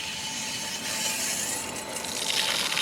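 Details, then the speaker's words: Inground sprinkler zone valve (far-left valve in box) not shutting off fully after water turned on: steady rushing hiss with faint tone as water keeps passing, lowest head leaking and bubbling; debris stuck in valve assembly kept diaphragm from sealing; solenoid loosening opens it normally. "That head's leaking. There's water there. The heads are down now. And the valve is running."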